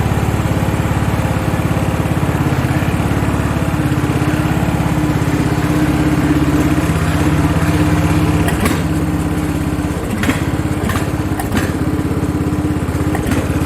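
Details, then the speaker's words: Craftsman riding mower 917.273760, single-cylinder engine after carb and fuel work, run outside: low chug like a hit-and-miss engine, stumbling and surging; some oil blowing out, owner suspects running rich or carb tampered with. "Sounds a little bit like a hit and miss engine."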